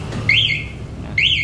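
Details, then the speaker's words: MP One motorcycle alarm armed: short rising-then-falling electronic chirps about one per second after the bike is nudged; first nudge sounds about 3 seconds, later nudges about 8 seconds. "Terus sekarang coba aktifin alarm Don. Nah, tuh alarmnya aktif. Kalau alarm aktif, motor disenggol bunyi."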